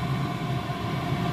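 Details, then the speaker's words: Chinese diesel heater after repair of a broken glow plug and a de-coke, which had failed from a red diesel and veg oil mix. Now on fresh red diesel at full output: steady, even roar and fan hum, no surging or popping, clean exhaust. "it just fired up literally and it's running a good clean exhaust this is on Full chat by the way"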